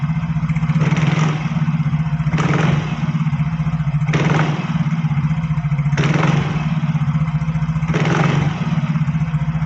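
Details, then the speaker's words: Yamaha Fino scooter CVT after repair, idling with crisp throttle blips: the earlier crackling "kretek-kretek" rattle from the belt drive is gone and the CVT sounds healthy. "di sini tadi suara kretek-ketek terdengar sepertinya ini sudah hilang coba didengarkan saya sentak gasnya"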